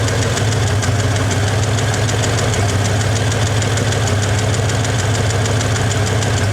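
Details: 1961 Chevy Apache V8 idling loud and lumpy with occasional stumbles, timing set to about 12°, engine not yet at temperature; owner suspects it's running low on gas, with little fuel getting through the fuel filter. Cause unconfirmed.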